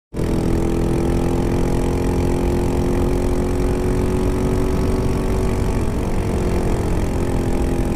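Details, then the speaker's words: 2002 Honda CBR600 F4i idling roughly and unevenly, ragged chugging lawnmower-like beat, losing power; owner fears it blew up; rough idle with possible misfire or knocking, cause unknown. "Oh yeah, she's losing power. Misfiring or knocking or something. Sounds like a fucking lawnmower."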